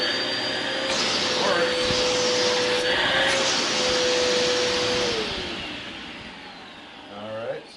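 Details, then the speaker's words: Bissell Powerforce vacuum after cleaning, rebuild and bearing upgrade, testing back-hose suction; steady even motor whine with strong airflow rush, then smooth spin-down. Motor healthy, suction working well. "Okay, so we're going to see if the back hose part here has suction now, which sounds like it does. Sounds like it's working very good."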